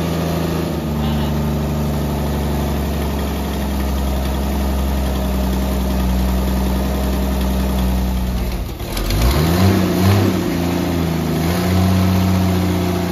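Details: 1964 Dodge Dart station wagon, 170 slant six with push-button automatic, revived after 25+ years parked: steady idle dips briefly, revs rise cleanly and settle smooth, no misses; running really good, normal.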